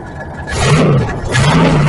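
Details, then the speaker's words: Old Ford E350 camper with 460 engine that won't go past 30 on the highway: rough engine roar with a loose, uneven rattle underneath from something loose inside the catalytic converter, which is banging; converter to be cut off. "Rob, if you can hear that rattle, that is uh [screaming] the converter rattling. I already went under there and showed you guys it was uh banging. There's something loose inside there."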